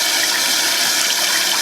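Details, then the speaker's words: Toilet tank refilling after a newly replaced fill valve, fitted to fix a constantly running toilet, with the water turned back on. A steady, even hiss of water rushing into the tank without interruption. Normal tank refill. "And I'm going to turn the water back on. So you can hear it's filling."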